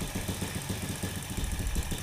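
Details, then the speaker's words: Honda Supra motorcycle fouling plugs with black smoke, new carburetor, plug adjusted and valve clearance checked normal. Low, uneven rich idle that sags toward stalling and won't respond to air-screw adjustment; the carb needle was found missing its clip. "Nah kalau nyalanya kayak gini, kayak gini, dia nggak mau teriak. Sudah pasti ini settingannya masih belum dapat nih."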